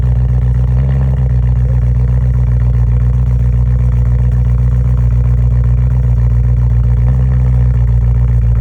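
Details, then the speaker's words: BMW M3 cold start with P2626 code: lumpy, uneven LS-like chop at idle instead of smooth burble; bad passenger-side (right front) pre-cat oxygen sensor. "it's just chopping like an LS, it's not sounding right, uh most likely you have a bad sensor, oxygen sensor."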